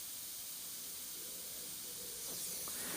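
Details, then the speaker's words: Airbrush at 10 PSI with paint thinned until it atomizes: a smooth, even airy hiss matching the tone of the air alone, with no spitting or choking. Thick paint at this pressure would sound choked and spitty. "you want it to sound like that when it's putting paint out it wants to be that same tone as that air coming out that's how the sound you want it at 10 PSR with that paint mix"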